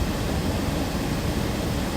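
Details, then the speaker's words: 2013 Toyota Tacoma after blower motor replacement, AC not blowing before; engine running, fan switched from low to high, cold air coming out; steady even rush of air with no whine, rattle or ticking, normal blower operation. "it's definitely making a fan noise oh my gosh cold ac"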